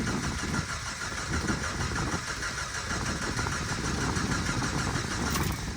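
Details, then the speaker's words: 1989 Jeep that bogged and died under throttle, then cranked but wouldn't start: steady cranking that churns toward running after about a gallon of fuel was added; it was simply out of gas. "so if that's the case it ain't got no gas in it she was out of gas"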